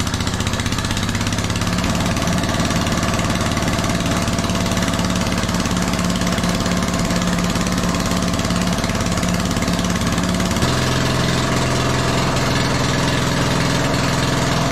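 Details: RamX hydraulic trench compactor with a transplanted military surplus small diesel, just started with ether over the intake, gives deep, hard, evenly paced clatter with nothing softening it; it runs fine but has an open exhaust and no muffler.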